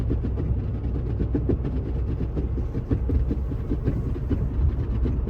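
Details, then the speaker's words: Car with 95,465 miles, recorded while cruising at about 45 mph. Rapid fluttering slaps ride over a steady road rumble from a loose underbody panel flapping in the airflow; it tends to go away at higher speeds up to about 50 mph. "That's that flappy thing under the car. It doesn't like the 45 mile an hour speed."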